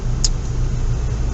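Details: Kia Venga after swapping the front left knuckle and wheel bearing for a used one: low, even road rumble while driving, no growl or drone rising with speed; bearing quiet and healthy.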